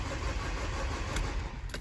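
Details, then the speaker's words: 2014 Renault Master diesel van cranks but won't start: steady cranking drone that never fires. Rail pressure reads about 10 against roughly 300 bar needed, no fault codes. Cause was a burnt-out low-pressure fuel pump wiring connector, fixed with a new pump and loom repair. "and what it should be to start up, these really want to be anywhere around about the 300 bar area to actually fire up, but see, this is what it wants to have and this is what it's got. But as we crank it over, you see there's nothing there at"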